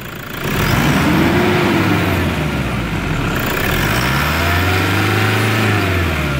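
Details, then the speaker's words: Toyota Hilux 3.0 diesel after turbocharger replacement, intercooler and air filter housing cleaned: revs up smoothly and holds an even rumble, the previous loud turbo noise no longer heard; normal turbo operation after repair. "E aí pessoal como parou barulho Aquela aquele burro bem alto Pois então foi trocado essa peça que trocou a turbina dele"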